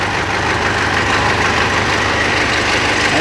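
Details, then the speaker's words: Mitsubishi L200 Triton 3.2 diesel at idle: loud clatter with timing-chain noise and an uneven, firm knock about three a second, heard clearly from a distance; a worn cylinder is letting the piston slap (skirt knock). "E dessa forma, eu vi que ela tá batendo saia. Tem algum cilindro dela aqui que gastou e tá batendo saia."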